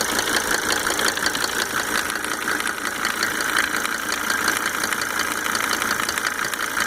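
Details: Mercedes 300D W124 2.5-liter diesel idling just after fitting 5 newly rebuilt injectors with Monarch nozzles; quick, fairly even light tick a few per second over the clatter, source undetermined: engine ticking at idle.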